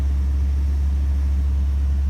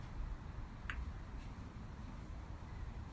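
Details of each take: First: Rebuilt 1965 Ford Thunderbird engine, five miles after rebuild, on a cool morning: smooth, even low idle with a deep hum and no knocking, good oil pressure; slight smoke, likely from leftover oil. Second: 1965 Ford Thunderbird engine at its first start after a rebuild: it catches and runs at an uneven, lumpy idle with an irregular beat, sounding horrible, then dies. Rough running; the engine went back to the machine shop afterwards.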